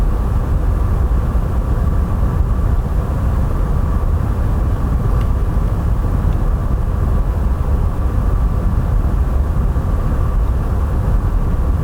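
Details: PS5 Pro console while gaming, recorded about a foot away: steady airy whoosh with faint constant whine, no rise or fall; fan audible and louder than expected compared with base PS5; loud cooling fan.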